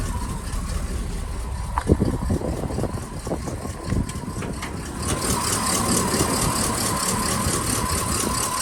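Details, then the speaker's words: Cold-start idle of a 1959 Cadillac Series Sixty-Two Coupe V8, just started on a cold morning: steady, even low rumble with a few light clunks early, no knocks, bangs or smoke; runs well, may need timing tune. "so it's pretty cold this morning I only just start it up so it's stilling a little bit runs well no knocks no bangs no smoke"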